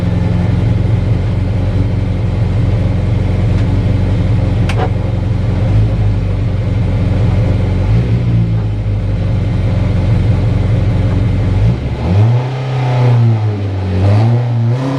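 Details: Mazda MX5 at Loton Park hillclimb, 72.43 run, after engine problem sorted: strong steady drone climbing and dropping through gears, no knocks or misses; pulling cleanly at full throttle.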